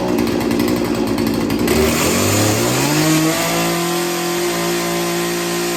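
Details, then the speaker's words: Chainsaw after sharpening and carburetor idle tuning, idle screw turned almost a full turn: buzzes along, then revs climb smoothly and hold a steady high note with no stumbling; idle problem fixed, running cleanly. "fix the idle problem although i had to crank it almost felt like almost a full turn"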